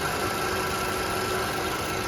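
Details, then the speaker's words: 2012 Toyota RAV4 engine idling smooth and quiet after the fix; the removed part's bearing had a lot of play and caused the rattle, which is now gone. "you can hear the car is on nice and quiet no more rattle nice and quiet"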